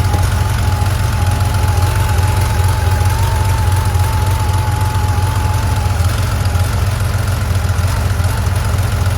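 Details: 1982 Porsche 911 SC warm start: loud idle with uneven, stumbling pulse and occasional dropped beats; misfire at idle.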